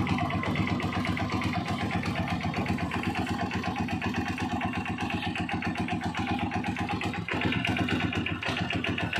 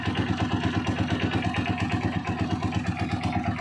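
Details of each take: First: Honda TMX single-cylinder motorcycle after tune-up, oil change and adjusting very loose valve clearance; idles steadily with an even, quick thump and no loose valve tapping. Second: Honda TMX single-cylinder motorcycle at idle after tune-up and oil change: light regular metallic ticking over thumping exhaust from worn cam follower; valve clearance was very loose.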